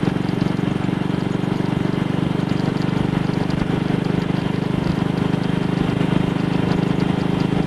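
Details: Single-cylinder motorcycle with Wassell Evolution (Amal Concentric Mk 1 type) carburettor, on a test ride after a twisted, dislodged needle clip was refitted: steady, even thrum at 45–50 mph indicated with no jerks or pops. No sign of the misfire so far.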